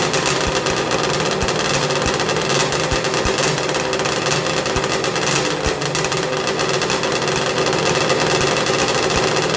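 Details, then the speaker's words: 1994 Arctic Cat Thundercat, rebuilt 1050cc Hooper big-bore triple two-stroke with ceramic-coated pipes, fire-up with fresh coolant for a heat cycle: loud, raspy, violently noisy idle with a steady rhythm and no knocks or misses; normal two-stroke idle. "we're gonna fire it up now we're gonna heat cycle it we're gonna get it warm make sure we don't have any air locks and uh yeah this thing's kind of violently noisy"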